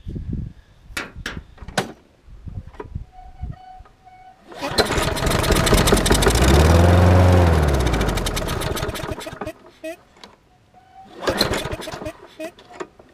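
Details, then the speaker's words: Craftsman 6.75 push mower that wouldn't start after winter storage, after carb/choke spray cleaning: pull-starts, runs about five seconds then dies, another pull barely catches; fuel starvation suspected, not confirmed. "And the first time when I start it, it's going to run that out. It may die."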